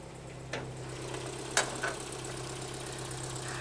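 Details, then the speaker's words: 1968 Datsun pickup idling before an electric conversion: a rough, loud idle with a low droning rumble and sharp puffs from a blown muffler and exhaust leaks. "you can hear it's got a blown Muffler it's got exhaust leaks but it's a cute cool truck"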